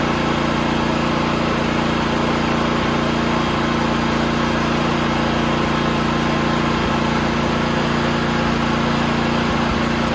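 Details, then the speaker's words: John Deere tractor with newly installed snowthrower, belt engaged, running with a steady labored drone and dull rhythmic beat about three per second; belt tensioner seized, forced by hand for ten minutes. "So the problem was that it was seized, so I forced it by hand. It took about 10 minutes of moving it back and forth, and as you can hear, she's not too happy."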